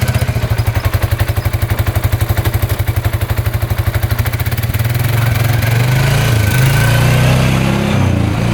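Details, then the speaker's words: 2013 Polaris Sportsman 550 EFI EPS 4x4 ATV, handlebar switch disconnected, runs with a steady, even single-cylinder thump and revs rise smoothly; all gears, reverse, high and low work, though a slight clutch squeak is heard, probably rust. "all right it's running pretty good so all the gears work reverse Works high low both work"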